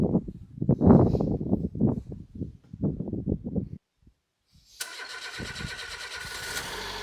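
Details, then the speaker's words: 1991 Citroen BX 1.4, 81,000 km, off the road 10 years with old oil and cambelt: uneven cranking bursts, a pause, then catches into a steady, even idle with no knocks; normal idle. "It's been off the road for many years, but it seems to be quite healthy."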